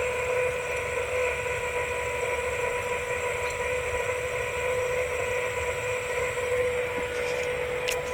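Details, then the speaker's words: 1996 Ford F350 7.3 Powerstroke diesel, after converting to an electronic fuel system with frame-mounted pump and filters: key-on test pressurizing, an even, constant electric hum and steady whine as fuel flows through the pressure regulator; normal fuel pump priming. "I'm going to test pressurize the fuel system now you hear fuel going through the field pressure regulator"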